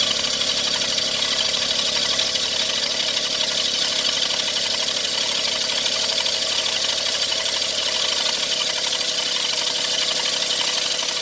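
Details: Every van engine before any repair: steady harsh high hiss and rasp over a faint idle with no knocking rhythm; owner suspects AC compressor or alternator bearing, crank pulley rubber or belts; water pump bearing noise.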